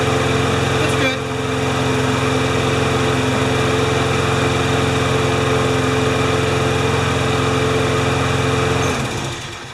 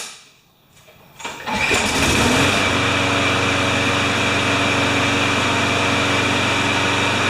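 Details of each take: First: Briggs & Stratton 6.5 hp flathead lawnmower with primer ball and no automatic choke, which started then stalled. It drones unevenly for about nine seconds, then sags and dies. Water and dirt found in the carburetor bowl; a carb clean is planned. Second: Briggs & Stratton 6.5 hp flathead mower with primer ball and no automatic choke, owner complaint "starts then stalls," cold start the next day after three primes: quiet, then it catches at about 1.5 s and settles into a steady, even, healthy idle.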